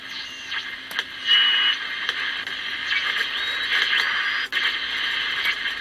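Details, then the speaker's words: 1960s Soviet Vega Ruby pocket transistor radio, dropped, playing through its original speaker: rough buzzy midrange with a rattly edge on louder passages; speaker rattle, cone not thought to rub or stick, cause not yet traced. "wondering it's rattling i don't think the cones rubbing or the cones stuck or anything like that but there's definitely a rattle there"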